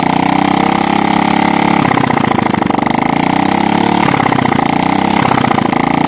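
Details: Motorcycle still smoking white after an engine teardown, started with the exhaust removed: a loud, raw, open-pipe idle with quick even pulses and a couple of brief throttle blips; normal idle, with oil leaking and wetting the exhaust area.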